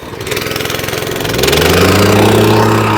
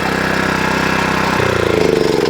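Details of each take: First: Wacker plate compactor after refitting a slipped drive belt, started on choke: catches quickly, picks up, then holds a steady even drone with a firm vibrating thump and no misses; now vibrates, running healthy. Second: Wacker plate compactor whose single-cylinder engine runs but the plate won't vibrate; at shutdown the pitch drops and a recurring uneven flapping is heard as it winds down.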